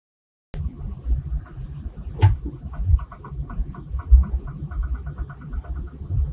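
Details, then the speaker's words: Cold petrol engine just started: quick light tapping knock over a low rumble at idle; owner identifies it as piston slap. "ارے لوگو دستک کی آواز جو آپ نے ابھی سنی ہے، یہ پسٹن کا تھپڑ ہے۔ یہ ایک ٹھنڈے انجن پر تھا جسے میں نے ابھی شروع کیا تھا۔"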